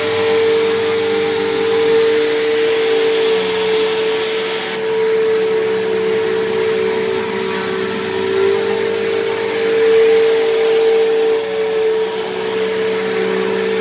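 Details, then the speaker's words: Dyson DC07 vacuum, left sitting a long time: a steady, piercing whine over the even running roar. The motor was already loud from worn bearings and has gotten worse, now much louder than a similar Bissell; owner suspects the bearings dried out. "now even when i first got this thing this thing was a little bit loud because the motor bearings are a little bit worn but it has gotten a little bit worse"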